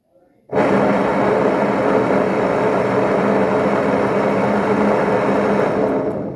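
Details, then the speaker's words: Washing machine tested without its control board, motor powered directly on spin: loud steady rough roar with coarse hum as the tub spins up; gearbox mechanism bearing blown, oil leak stain seen, mechanism must be replaced. "Percebeu? Eu vou ter que trocar esse mecanismo. O rolamento está estourado."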